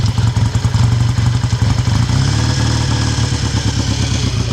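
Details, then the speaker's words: 1959 BSA A7 Shooting Star 500cc twin just kick-started from cold with choke on: fast, even firing well above normal idle as a sticky throttle holds the revs up. High idle from sticking throttle. "sticky throttle. That was easy."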